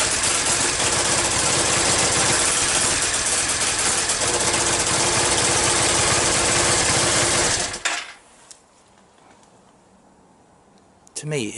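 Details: Yamaha Virago XV535 V-twin with replacement carbs, hard starting, front exhaust pipe blowing: steady fast thudding, rough running, missing and backfiring, rear cylinder not firing properly; owner suspects a coil breaking down or electrical fault, intake leaks already ruled out.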